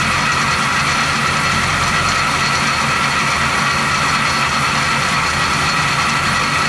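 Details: 1970 Chevy C10, 350 small-block with recently replaced water pump, at idle: constant high metallic rubbing hiss; rotary noise suspected from water pump, unconfirmed.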